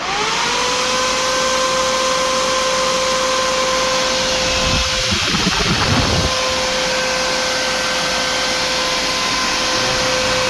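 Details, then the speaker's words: 2005 Jeep Grand Cherokee 5.7 HEMI, hydraulic fan replaced by a 16-inch SPAL electric fan in a WJ shroud, bench-powered before install; spins up within a second to steady, even whir, no rattle or scrape: normal cooling fan operation. "Got it. Worked real good. It's ready to go in a 2005 5.7 liter Jeep Grand Cherokee."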